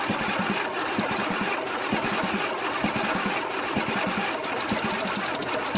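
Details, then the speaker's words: 1982 Pontiac Firebird Trans Am with a 5.0 V8 (owner believes it is a 307), unstarted for about 22 years, cranked with the carburetor off to pre-oil the engine; the starter churns rapidly and steadily, turning the engine evenly but never catching. "uh this has not cranked for over 22 years easy so I'm about to put the carburetor on but I'd like to pre-oil it"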